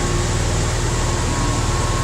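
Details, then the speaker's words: Ford with EGR code 332 just fixed: engine starts better than ever but holds a fast, even idle with a steady drone and no misses; unplugging the idle air controller lowers it, and the owner suspects the old throttle position sensor. "better startup than its had first time ever little high though"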